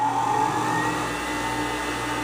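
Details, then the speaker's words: 6-inch bench grinder, 3450 rpm, unmounted on table: steady smooth motor hum, clean even tone, no knocking or rattle, not moving at all; normal running. "it's not moving at all not making any noise"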